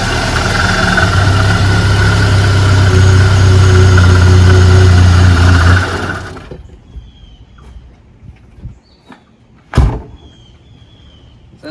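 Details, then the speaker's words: Roush Ford Thunderbird first start after sitting for years, new fuel tank, pump and sending unit fitted; low drone runs seconds then shuts off, rough unsettled idle with throttle hesitation; tune-up planned: new plugs, cap, rotor, coil. "can see it starts now but it has a very rough idle so i got to go through and we got the ignition system"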